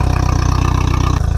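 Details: 60hp Mercury four-stroke outboard on flush muffs with water on, warming up the oil before winterizing oil change: steady, even low putter at idle with no knocks or misses; idling smoothly and healthy.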